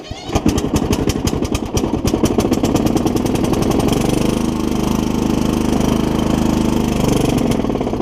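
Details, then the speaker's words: Kohler Courage 20 single-cylinder engine on a mower, cracked block: uneven popping bursts, then ragged wavering running as it stumbles; owner suspects water on the spark plug. "Just got some water on the plug, I think. But it was running pretty good just a second ago."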